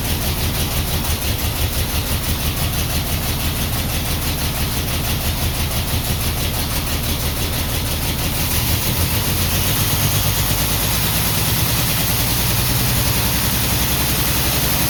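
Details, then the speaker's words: 1949 Ford F1, first run after sitting 20 years, choke partly on, electric fuel pump, no working water pump, run briefly: lumpy, loping idle with missing pulses, missing on one cylinder. Misfire at idle. "It's definitely missing on one cylinder, but this is good. This is the longest I've had it running in 20 years."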